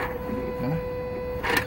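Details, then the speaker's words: Truck with no trouble codes, accelerator pedal OK: thin steady electric whir with a brief louder buzz as the throttle opens, coming from the electronic throttle body motor; throttle body suspected dirty, replacement suggested. "Y voy a pulsar el acelerador y se oye como hace ruido ya. ¿Ves? Como hace ruido el motor."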